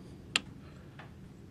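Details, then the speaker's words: 50hp Mercury outboard: a single sharp click, then a faint second one, with no cranking as the key is turned. The solenoid clicks but isn't making contact despite 12.95 V battery feed, so it is bad and must be replaced. "do it again you hear click it on the solenoid but it's not making contact"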